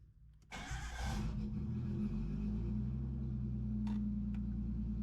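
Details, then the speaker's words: RB engine after swapping in new Yellow Jacket coil packs following a mishap: cranks briefly, catches cleanly and settles into a steady, even idle with no miss or stumble; sounds much better. Normal start and idle. "definitely sounds a lot better"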